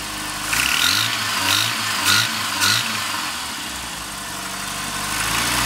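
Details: Rover Mini Cooper MPI: harsh metallic knock only when the throttle opens, gone at steady or falling revs; source unidentified.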